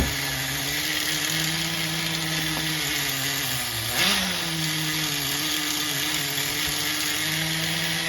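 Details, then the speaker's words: HPI MT2 nitro RC engine idling during carburetor tuning, buzzy high idle shifting between two speeds, a two-stage idle; bottom end leaned and top richened to reach a single-stage idle. "you could hear it's two different stages now you can clearly hear the two-stage idle going on"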